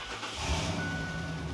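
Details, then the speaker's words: 1998 Ford Explorer Limited V8 with 4-speed automatic, fitted with a new exhaust: deep, even low rumble with a soft bubbling edge and no misses or knocks; healthy V8 burble. "tá borbulhante, recebeu um escape que parece quase mentira que o 0 a 100 vem em 10 segundos, né?"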